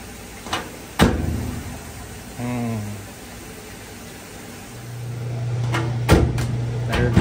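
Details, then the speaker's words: GE/Hotpoint washer (binary display) just plugged in: sharp clicks and brief low buzz as lid lock keeps locking and unlocking; suspected lid switch/lock fault, lid lock WH01X27954 replaced. "I think we might have a lid switch problem as soon as I plugged it in it"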